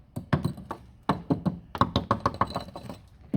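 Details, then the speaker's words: Toyota Auris SR180 sill before MOT welding repair: gentle small-hammer taps land dull and dead with no ring, sounding tender; sill rotted through with rust. "This is Okay, she's gone there. She's gone there. She's obviously gone there. Sounds all tender on here."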